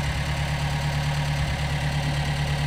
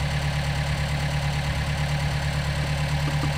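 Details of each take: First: Gehl 3510 skid steer after a new throttle cable was fitted, engine not yet warmed up and probably low on hydraulic oil: steady low idle with an even rhythm and no knocks or misses; running normally. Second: Gehl 3510 skid steer small petrol engine after a new throttle cable was fitted, idling with a faintly lumpy, not quite even beat over a steady drone; the carburetor may need slight adjustment.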